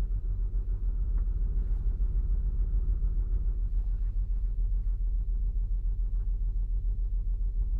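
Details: 2008 Saturn Outlook on cold start, cylinder 1 misfire read with the Torque app and a BAFX Bluetooth tool, occurring only when cold; deep, uneven idle rumble with a regular dip and stumble about three times a second.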